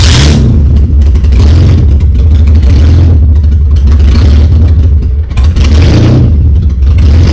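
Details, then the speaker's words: BMW E30 drift car engine, started right up after sitting over a year, running with no exhaust fitted: loud deep raw blat rising and falling with repeated revs, no knocks or misses; motor judged good. "car has been sitting for over a year and it started right up with no problems so the motor is good"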